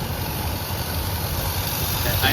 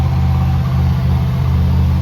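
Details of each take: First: 1990 Dodge W250 Power Ram after fitting two of the same part together: slow deep idle rumble, even but sitting noticeably low, just above stalling; owner worries it idles a little too low. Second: 1990 Dodge W250 Power Ram in the pole barn, no longer trying to die when given gas: steady even drone that never settles to a slow idle; high idle, possibly why it ran poorly before.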